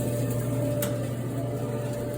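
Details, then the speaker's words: Haier RDE350AW dryer after replacing a belt torn against the tensioner wheel, which had caused loud rapid noise and no drum spin: smooth steady low hum from the turning drum, no rattle; running normally. "way smoother no more rackety rack noise that's it folks just needed a new belt new handle good as new"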